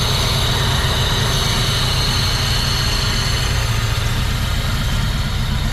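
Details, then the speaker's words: Honda D16 VTEC track car with a big cam, carbon fibre intake and new headers, cold start: loping, uneven idle with a loud intake sucking rush as the cam opens the valves more; the car shakes visibly. "You can hear from here the intake sucking because those valves are opening more. It's sucking in more air. Very loud induction noise."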